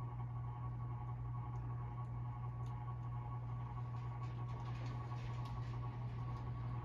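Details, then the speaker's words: Hampton Bay Carousel 52-inch CEI ceiling fan running in reverse: a steady drone with a faint uneven buzzy rattle. The green spotlight in the light kit, possibly its mounting bracket, is rattling. "yeah it's definitely the lights it's a favorite green one again that's making all the noise"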